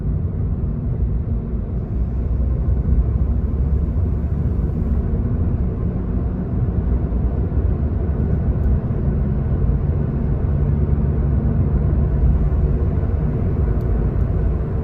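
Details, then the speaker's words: Honda Jazz GK at constant highway speed: a deep steady hum from the rear, absent on the outbound trip and possibly starting after hitting potholes; rear wheel bearing suspected. "มันเป็นเสียงเสียงมาจากข้างหลังอ่ะครับนาๆทุกท่านเป็นเสียงอื้อเนี่ยอืดอย่างเงี้ยตอนไปไม่มีเสียงนะครับตอนไปนี่แบบปกติมากนะครับ"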